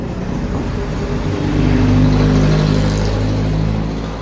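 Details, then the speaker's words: Whirlpool automatic washing machine after gearbox repair, spin test after a slight noise was traced to the balancer: a low hum swells and eases as the drum winds up, with no grinding or knocking. The spin is smooth and normal. "Yan mga ka-Jolstek. Wala nang ingay. Maganda na yung ikot niya."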